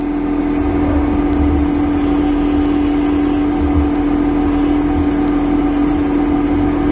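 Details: CNC lathe carbide CCGT-insert boring bar after its tool-height offset corrected back on centre (it had been set below centre), 0.1 mm/rev feed: steady, even hum with faint regular ticks, no chatter or squeal; normal clean boring cut.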